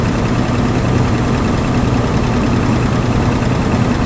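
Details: 1982 Chevy C10 Custom Deluxe, sitting 15 years, first start on gas: low, ragged rumble at idle with no clean rhythm, barely running; owner suspects a clogged carburetor slow jet.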